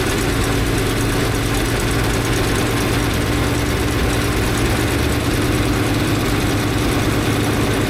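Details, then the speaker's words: 1964 International Harvester Travelall C1100 during ongoing fuel system work, coolant temperature being watched: low uneven idle with faint wavering beat under steady drone, never settling; rough idle, cause not found by owner. "Well, it's pretty clear that I cannot figure this thing out. Every time I think I've got one thing sorted out, another thing starts to change, and I'm not entirely sure what I'm doing."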